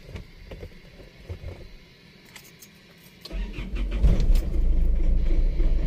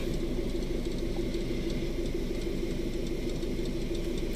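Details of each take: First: 2011 Isuzu Alterra 3.0 diesel with broken camshaft position sensor wire: brief starter whir, then stumbles into a rough loud idle after several seconds; still slow, hard starting before harness repair. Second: 2011 Isuzu Alterra diesel after repair of hard starting from a cut camshaft position sensor wire (harness repaired, sensor itself fine, no codes on scan): low, quiet, steady idle with even light ticking, no misses or stumbles; normal idle.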